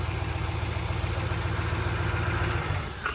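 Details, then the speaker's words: Ram engine after repair of timing that was off by two and a broken valve spring (previously running rough and skipping): low even idle, steady regular pulse, no ticking, knocking or misfire; purrs like a kitten, normal idle. "Well, finally got it back pur like a kitten."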